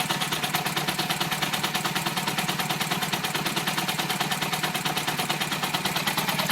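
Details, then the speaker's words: 2007 Mini Cooper S R56 with JCW Stage 1 kit, just over 60,000 miles, cold start after sitting overnight: choppy, uneven idle that can't get up to speed, sounding like only two cylinders firing; misfire, owner suspects high-pressure fuel pump. "Not sure if you can actually see how much that engine's jumping around, but it's quite a bit. Yeah. So it sounds like it's only hitting on 2 cylinders."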